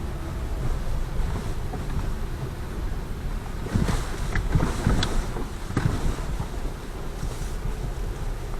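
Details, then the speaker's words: Lada Vesta Cross, about 9,084 km, road test over bumps after a warranty replacement of the right shock absorber: only dull cabin road rumble and soft thuds, no sharp metallic front-suspension knock. "сейчас мы поедем испытать пропал ли стук подвески или нет заменой правого амортизатора"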